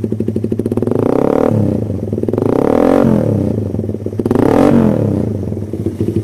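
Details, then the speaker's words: Suzuki Satria FU single cylinder after service, still on stock vacuum carb with an oversized exhaust; throttle blips rise and fall smoothly, picking up cleanly without the earlier hesitation or flat, stuttering response: normal running. "Jadi kondisi juga sebelum servis tadi, kondisi awal digas pelan dia dedet, di spontan pun kosong banget ya. Terus kalau digiring dia jeda-jeda, sekarang sudah sembuh."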